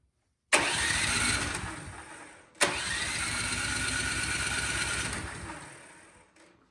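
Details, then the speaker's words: Toro Power Max snowblower that ran a few seconds then died: two pull-start attempts on choke, oil overfilled, each a rapid rattling spin with no firing. Little gas comes out when primed, so a clogged carburetor is suspected. "all right so up at this point it's gotta be something carburetor related um when i prime it you see gas is coming out which it will do um but not that much"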